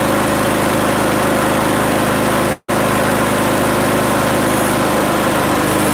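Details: Small single-cylinder mower started with a little old fuel left, holding a steady, even buzz with no surging or sputter; runs cleanly.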